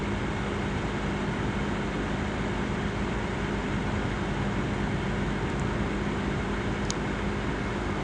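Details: Asus laptop CPU cooling fan: steady airy whoosh with constant hum, no speed change; fan running loud, cause unclear.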